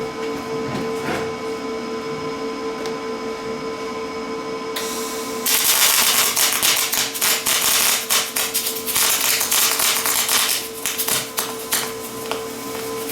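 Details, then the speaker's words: Lincoln 210MP MIG welder on 110 V, voltage turned up to about 28 V: quiet hum, then loud irregular crackling and popping as arc short-circuits, with some cold lap, before smoothing toward steadier spray hiss. "all right so if you guys can hear that um it was short circuiting a little bit there I was also running up into spray a little bit"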